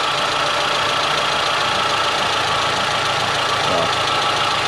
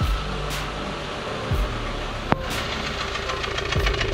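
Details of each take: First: Dacia Sandero 1.4 MPI on LPG, after misfires in damp weather traced to a faulty ignition coil. The engine idles evenly on all cylinders under a steady hiss of water spray, with no misfire stumble. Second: Dacia Sandero 1.4 MPI (LPG) misfiring on damp mornings, usually clearing after 2–3 km. With water sprayed on the ignition coil, the idle stumbles with irregular thumps and runs on three cylinders. Defective ignition coil, later replaced.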